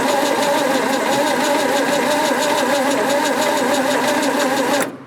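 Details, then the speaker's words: 1967 Ford Bronco parked in the woods 26 years: steady cranking about 3.5 turns a second with starting fluid added, never fires; no spark suspected, distributor points look dirty and need sanding; crank no start. "all right i'm gonna go ahead and say that there's no sparks"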